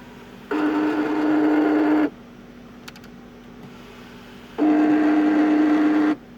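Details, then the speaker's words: 2005 Audi A8 sunroof: two harsh buzzing grinds of about a second and a half each over a steady hum; the wind deflector is out of tolerance and needs adjustment, reached by removing the console. "you actually have is the wind deflector is what's making noise okay so now there's an adjustment for that wind deflector and that is what's making the noise it's a tolerance issue"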